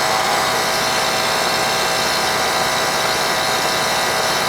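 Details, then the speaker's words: Old R22 Carrier AC that was icing up, after removing refrigerant from an overcharge (subcooling was around 30, now superheat about 24-25, suction about 60): steady fan rush and compressor hum, compressor no longer sweating; normal running. "So the air coming out's a lot hotter now. You see the compressor's not sweating anymore."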